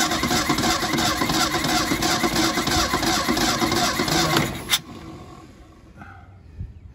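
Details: 1977 Mustang II that sat on a farm for 25 years, with chewed wires, no compression and broken fuel lines: steady rhythmic starter cranking for about four seconds, roughly three beats a second, never catches; cranks but won't start.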